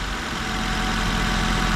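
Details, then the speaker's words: 2004 Nissan Sentra shaking: uneven, lumpy low idle with one cylinder missing. Scanner shows no misfire codes, only an air-fuel ratio sensor code. The computer pulses the injector, so wiring is good; likely a clogged injector needing cleaning or replacement. "so the most likely problem here is you probably got a clogged injector it's not injecting fuel in there and that's why you're getting that miss"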